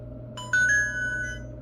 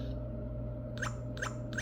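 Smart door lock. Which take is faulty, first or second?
first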